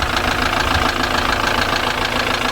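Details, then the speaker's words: Ford Transit Mk7 diesel, very low on fuel, idling after oil was added. A fast, even top-end clatter-knock remains but is half as bad as before. It was blowing a little black smoke; the owner fears damage. "Listen to that now. She's knocking off as not half as bad as what she was."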